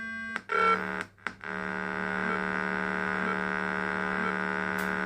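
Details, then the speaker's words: ProConn fruit machine board test program: after power is cycled, it scans inputs at startup and sounds a steady, continuous buzzy warning tone, flagging a stuck switch input or output. "so it's telling you right away it's got a problem I'll just turn that off annoying noise"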